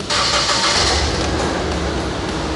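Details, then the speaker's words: Asian-import engine with code P0302, cylinder 2 misfire, during a scanner power-balance test: uneven, stumbling note with a ragged, hissy edge as a cylinder drops out; a misfire, suspected bad cylinder 2 injector, not yet confirmed. "do Bo does that sound bad that's a bad mess"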